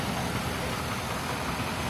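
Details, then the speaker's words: GMC XUV V8 at 12k miles, suspected bad lifter, after topping up low oil and adding Lucas: steady even idle with low rumble, tick nearly gone; normal idle. "now she looks like she's running good"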